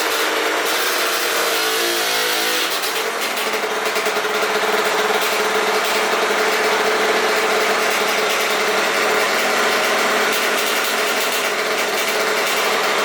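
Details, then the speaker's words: Aprilia RS50 frame with YZ85 two-stroke engine, after fitting oil-soaked clutch plates to fix juddering starts: healthy at idle, but on throttle revs turn raspy and break up, bogging under load; cause unknown, owner suspects tuning. "i took it out on the street as soon as i hit it just it just died immediately just bogged"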